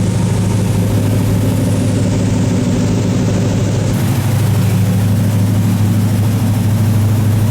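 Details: 1978 Chevy K30 Scottsdale 350ci V8, first start in 4 years after sitting, smoking badly on one side; deep steady even low rumble, no knocks or misses. Normal idle.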